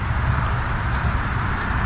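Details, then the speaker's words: GM Envoy/Trailblazer-family AC compressor clutch after fitting a new pulley kit to cure a wobbling, knocking pulley: pulley spins with a soft, even whir, no grinding or clicks. Normal quiet pulley bearing. "nice and quiet beautifully quiet"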